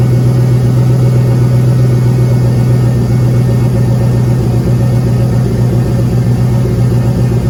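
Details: Turbo LS (5.3 V8) Caravan running after turbo refit, oil pressure gauge plumbed directly to block: loose, uneven knock/tapping/clatter about four per second under a steady deep idle; appeared under boost. Compression good; owner hopes broken ring land but suspects rod or main bearing.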